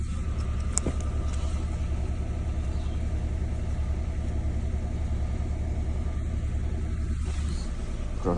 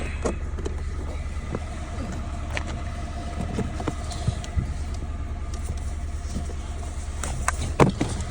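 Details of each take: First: Peugeot 107 with engine management light on, diagnostic code cylinder 2 misfire: low, lumpy petrol idle with an uneven beat; plugs found in poor state, and the fault was a failed ignition coil. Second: Peugeot 107 after replacing a faulty coil pack that caused a cylinder 2 misfire: small petrol engine idles with a steady, even low hum and no missed beats; misfire fixed.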